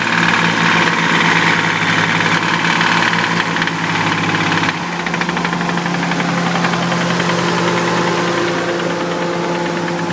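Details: Nissan 300ZX idling, bottom end rebuilt three years ago, knock appeared after short vigorous motorway run: rapid uneven knock about three or four raps a second; no oil burning, revs freely; owner suspects oil pump as pressure reads erratic.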